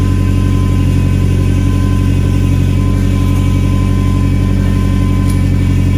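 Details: Nissan 240SX after installing new exhaust gaskets and a muffler on an ISR single GT exhaust, recorded with the garage open: a loud, deep, even burble with no puffing or ticking. Exhaust leaks fixed, normal idle; a possible belt whine was noted.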